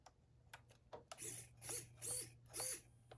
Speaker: Servo works. So we're connected.